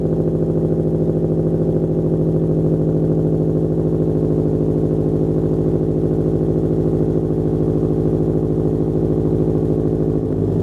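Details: 2007 Subaru Legacy GT spec.B turbo with catback exhaust, new mid pipe and resonator, muffler delete and HKS blow-off valve: deep, steady burbling idle with an even beat and no skips, knocks or rattles; normal idle.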